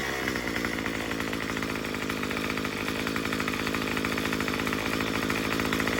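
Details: Murray M2500 two-stroke trimmer after adjusting the new carburetor's high-speed mixture screw counterclockwise; buzzes at high revs in a fast, even stream of pulses with no sag or stumble. Bogging is cured.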